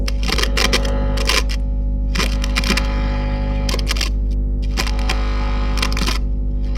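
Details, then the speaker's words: Hiwatt PA100 6-channel 100-watt tube PA amp: heavy steady low hum and buzz with crackly bursts as channel controls move, too much noise for idle channel; cause suspected, not confirmed. "Okay. Clearly something going on that channel. Channel 2. Same on that channel."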